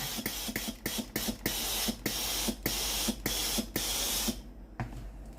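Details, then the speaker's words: Philips GC9315 steam iron after replacing the boiler, whose heater had burned out and left it giving no steam: repeated strong, clean hissing steam bursts, about ten in five seconds, the steam output now normal. "ทำการกดปุ่มจ่ายไอ้น้ำนะครับตัวนี้ไอ้น้ำออกปกติเลยนะครับ"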